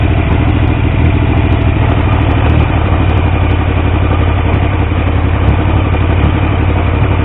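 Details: Triumph T150V triple after head and cylinder rebuild to cure oil leaks: even throaty idle, steady low pulse, light valve chatter; oil pressure around 40 psi under 2000 rpm, oil return flow good; normal idle, no leaks.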